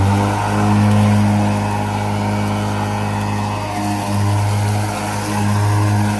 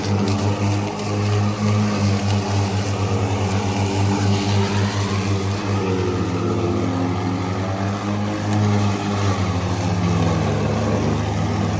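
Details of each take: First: Ryobi ZR3 80 V 42-inch brushless zero-turn mower with 14 Ah lithium NMC batteries, driven slower in wet grass: steady low electric whir from the deck, blades spinning freely with only slight load swells. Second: Ryobi ZR3 80V 42-inch brushless zero-turn mower with 14Ah NMC batteries cutting wet grass: low blade hum sagging and wavering as clippings clog the deck and bog the blades; driving slower lets the chute discharge.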